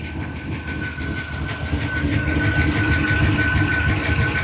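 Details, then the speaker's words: 1976 Ford F250 turbocharged 331, freshly fitted bigger cam and machine-shop freshened heads, first start: steady idle with a faint uneven chop about three pulses a second under a thin whistle; mild cam lope, otherwise running fine. "Dang, man, this thing starts good. There's a hint of a chop. That's all right. You can hear it."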